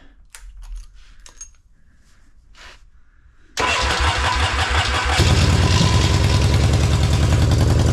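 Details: 1979 Yamaha XS650 after carburetor rebuild (new jets, needle, springs): after handling noise the starter spins briefly, engine catches and settles into a steady even thumping idle with no misses.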